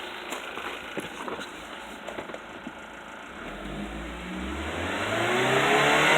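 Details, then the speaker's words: VW 1.8T turbo engine (Beetle/Golf/Jetta/Passat): light fast ticking from the timing chain tensioner at idle, swallowed when revved as oil pressure rises; oil too thin to lubricate the tensioner, fully synthetic oil recommended. "pero al hacerlo al ser muy delgado el aceite no lubrica bastante bien el tensor ahora lo hace más fuerte si yo aceleró este carro el aceite va a subir más rápido y va a tener una mayor lubricación y se le va a quitar el ruido"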